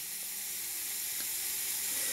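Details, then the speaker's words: 100x200 mm model steam boiler with a 40 mm heating tube, stored 20–30 years unused, on its first test heat-up with a 300 g/h torch burner. A constant high hiss from the gas pipe leaking so badly that pressure cannot build. "ce qui est amusant et vous l'entendez c'est que c'est en fait le haïk c'est le tuyau de gaz qui fuient tellement que j'arrive pas à monter en pression"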